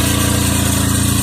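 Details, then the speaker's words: Chevy Traverse on remote start, idling: loud raspy rapidly pulsing roar, much harsher than normal, from an exhaust leak where the exhaust bracket broke at its weld, leaving a big hole; owner plans to weld it. "The bracket that is holding the exhaust has come out, has broken, where they welded it has broken. This bracket has broken, and therefore it's making all that noise."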